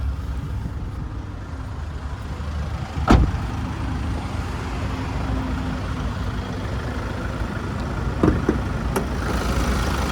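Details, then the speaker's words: 2018 Kia Carnival S diesel idling under the open bonnet, serviced at 14,000, 30,000 and 52,000 km: steady, even diesel clatter with no major knocks, rattles or squeals, motor running nicely. "And as we listen to it ticking over, no major knocks, rattles or squeals, just that diesel motor running nicely."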